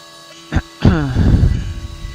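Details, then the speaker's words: Milling machine cutting 3D contours on an AR15 high-rail gas block side wall: over steady hum, a brief falling-pitch chirp of end mill chatter on extensive travel, leaving tool marks. "So you can hear that chirp of chatter when it hits the extensive travel."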